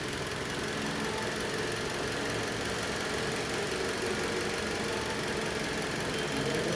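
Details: 2010 Toyota Corolla petrol engine idling with uneven lumpy beat from one cylinder misfiring, no fault codes stored, check light off.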